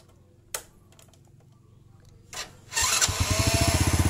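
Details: Honda Legenda/Supra Fit-type motorcycle, electric starter check with the ignition on and the starter relay jumpered. The relay clicks, then a steady fast whirr with even pulses near four a second; the starter motor is good.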